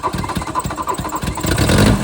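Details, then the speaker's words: MK1 VW Rabbit with a newly swapped 07K 2.5L five-cylinder engine. Cranking chuffs, then the engine catches and settles into a steady, even idle with no knock or miss. Normal start and idle. "Oh yeah. Purs like a kitten."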